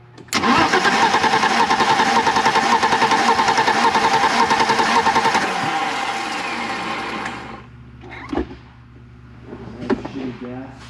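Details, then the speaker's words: 1987 BMW 325i E30, sat outside after a paint job, before replacing plugs and wires: starter churns about three and a half turns per second for five seconds, engine never catches, not even trying to start; cause unknown, spark being checked. "You would think it would try to start at least, but who knows."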